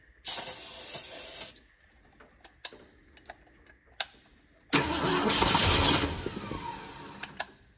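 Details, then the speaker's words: 1966 Ford Mustang GT convertible stored over 10 years: two cranking bursts, even chug, brief catch on starter fluid; compression good, engine starved of fuel, gauge reads E, fuel line to carb to be checked. "okay we have compression so if we get fuel to it the engine will run"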